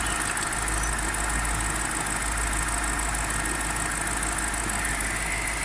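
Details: BMW 545i E60 N62 V8 idling with oil filler cap open: even hum with faint uneven tapping underneath, strange noise of undetermined cause.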